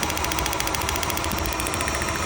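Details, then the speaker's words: Petrol engine idling roughly with an uneven chuff and ticking; disconnecting cylinder 1 causes no change, so it is dead; compression 160 PSI, coil tested; misfire from a dead spark plug. "So, it's a dead plug because I pulled the the plug out, ran a compression test, had 160 PSI, which is good."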